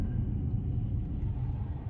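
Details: Audi/VW quattro AWD car driving on the road: deep, steady rotational roar under road rumble, no clicks or knocks, consistent with a bad wheel bearing.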